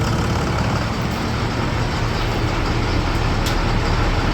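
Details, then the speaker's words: 2004 International 4300 with DT466 diesel, idling after alternator and battery replacement: steady low even diesel clatter, no misses or knocks; charging now reads right, no longer overcharging, engine idles normally. "Everything is working like it's supposed to. Everything's running like it's supposed to."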